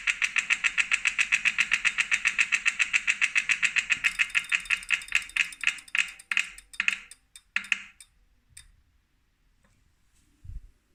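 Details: New 2018 Wahoo Kickr Core trainer, defective: sharp, fast clicks, three or four a second, slowing and fading as the flywheel spins down; owner suspects a broken axle bearing or loose magnets.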